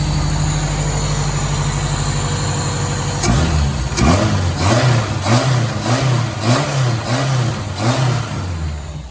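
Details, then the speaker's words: Toyota KE30 Corolla with a 7KE engine, started with the modified air filter fitted; catches and settles to a steady idle, then several quick throttle blips rise and fall cleanly, sounding eager: normal start and revving. "She sounds like she wants to go."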